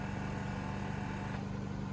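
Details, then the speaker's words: Lincoln Mark VII air suspension in diagnostic mode, right front corner: the system raises and then drops the corner too low, and the compressor hums with a strong buzzing drone as it pumps it back up, working normally. "it'll raise and then drop it it'll drop it lower than it should be sensor will tell the system hey we're too low bring it back up"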